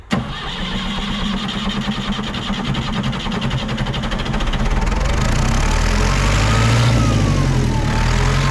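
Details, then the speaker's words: Tractor diesel that had just had its coolant topped up, a hard cold start: slow, even cranking at about four turns a second drags on for five seconds before it catches roughly. The cause was weak ether from an under-pressurised can, fixed by switching to a different can. "So after a long time, I just actually grabbed a different can of ether spray. And for this tractor, it is recommended in the user manual to use ether."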